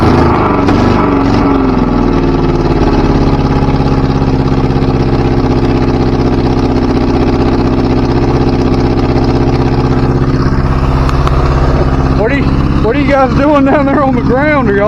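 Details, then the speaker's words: 1977 Chevy LUV, first start after refitting the carburetor: a steady, raised, even idle, set too high and needing to be turned down. Owner suspects a vacuum leak; smoke is likely brake fluid burning off in the vacuum system. "okay um I think we got our out a little high we turn that back a little bit sounds like we have a vacuum leak somewhere"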